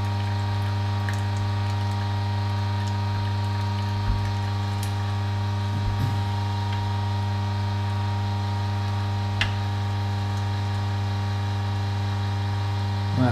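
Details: Juice extractor (masticating juicer) pressing pineapple pieces: steady low motor hum with faint ticks and squishes of produce; the drone holds even as the motor labours, with no clear sign yet of the clogging.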